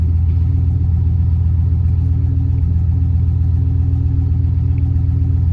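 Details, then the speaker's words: 1996 Chevy Silverado OBS 5.7 V8, cold start on a roughly 55°F Texas morning after replacing the idle air control valve: deep, even rumble holding steady idle, no hunting or stumbling; normal cold idle. "there she goes idling pretty smooth cold start cool start of the day though and it is cold out here in texas right now"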